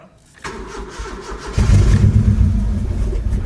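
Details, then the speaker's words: Engine at start-up: brief cranking then lumpy, uneven low rumble that won't settle; running badly, engine deemed dead and to be replaced. "damn this sounds like ass yeah this doesn't sound good at all"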